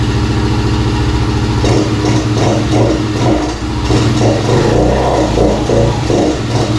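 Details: 2017 Kawasaki KFX50 kids' ATV, sat for years, petcock moved from empty reserve to on: small single-cylinder idles steadily with light throttle blips and even beat; now starts and runs, though it won't take throttle (dirty/small main jet or weak fuel flow suspected).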